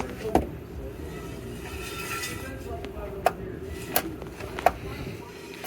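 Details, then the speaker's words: EVAP canister vent valve actuated through scan tool active tests: sharp single clicks roughly every second over quiet background; normal vent valve operation. "okay so here is the canister vent valve and uh Daniel is going to actuate it and you guys can uh hear it actuating on and on"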